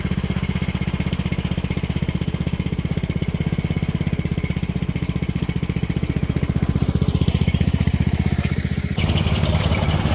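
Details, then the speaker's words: Poulan 38-inch riding mower, warmed up, running and mowing: steady engine beat with a faint drifting squeal under the deck; owner suspects a dead idler bearing, not confirmed, and plans to replace them. Abnormal noise under mower deck. "it starts runs mows um you can hear that there's an idler bearing or something underneath that's dead"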